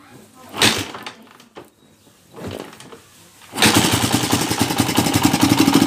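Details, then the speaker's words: TMX 155 motorcycle brought in for overhaul over a noisy engine, before repair: after some handling noise it fires and runs with a loud, fast clatter of about four beats a second; a hole above a nut is leaking. "Napakaingay mga kabro. Yan, may butas. Sa taas ng nut. May butas kaya singaw."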